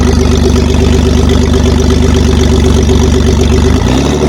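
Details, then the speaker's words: BMW E46 coupe converted from 320Ci to 3-liter 330Ci with manual Getrag 220 gearbox: loud, raw, pulsing idle with a hard open exhaust bark, because the exhaust pipe is not fully connected yet. "Listen to the sound of the 3 liter. The exhaust is not fully connected yet."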